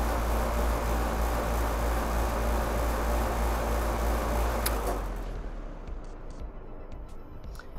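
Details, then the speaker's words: Outdoor AC unit just after a stuck-closed contactor was replaced with a new 2-pole 40 A contactor, tested from the thermostat: steady low hum, faint click, then the unit winds down and goes quiet; the new contactor switches normally. "right you hear that little click in there uh that turned it on and off so we are good"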